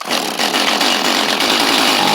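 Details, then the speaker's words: Free Stihl chainsaw, owner suspects flooding, half-choke with throttle held: high buzzing two-stroke fires and revs unevenly, sputtering as it tries to catch; nearly running but not yet settled. "y'all hear it try right there it almost did wish there was a way let see there's a way I can half choke this thing with the throttle on still oh maybe maybe I just did it right there oh it wants to"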